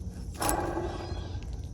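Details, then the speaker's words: Removed 3.0L MerCruiser alternator, pulley spun by hand. Dry, gritty rushing whirr as it coasts. It made unpleasant sounds at high RPM in service. Worn alternator bearings; the alternator is being replaced. "However, to the sound, you can hear it. And at high engine output or RPM, this thing was making some unpleasant sounds."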